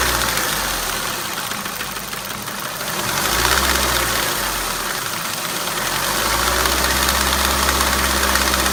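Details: Ford Mondeo 1.8 petrol Duratec HE, 87,000 miles: steady idle with a light, fairly even knocking/tapping about three per second; the owner cannot tell where the noise comes from.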